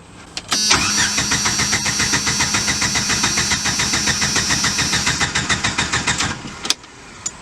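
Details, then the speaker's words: 1995 Jeep Wrangler YJ four-cylinder after fixing a bad connection: the starter turns the engine evenly for about five seconds without one firing stroke, and the starter seems to miss. Cranks but won't start. "nothing looks like poor Pedro's about had enough now it sounds like the the whole starters just missing it's weird it's just like not it's not doing anything I needed to do"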